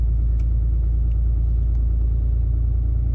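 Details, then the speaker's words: 2018 Ram 2500 6.7 Cummins diesel, cold weather, manual high idle set via cruise control buttons: deep steady rumble at about 1100 rpm, even beat, no knocks or misses; normal high idle. "That's like 6 times I just pushed it, and right now she's idling about 1100 RPMs."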